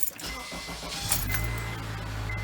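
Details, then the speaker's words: 2007 Honda CR-V, about 203,000 miles, after replacing starter that made a non-retracting grinding noise: brief clean crank, engine catches at once and settles into steady hum, no grinding; new starter works. "yep no more noise one more perfect looking good sounds good your starter works great"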